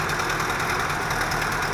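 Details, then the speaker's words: 1978 Toyota pickup, after reattaching a squirrel-chewed fuel line and some tweaking under the hood: steady, even engine note at raised fast idle with no misses or knocks; runs fine, previously rough idle and hard cold starting. "a little tweaking under the hood movie Idol in the fast idle but just once up the idle a little bit then sound they're too bad but we're good"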